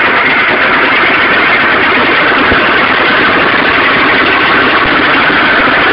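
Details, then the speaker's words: Stels Arrow two-stroke scooter idling: dense, buzzy rattle with faint tapping beneath it. Knocking began, then the engine seized; the scored piston was replaced with a Malossi kit, but the knock remains. Crank spins freely without play; cause unknown. "Вот если вот так коленвал чуть-чуть шатать вверх-вниз, то такой звук."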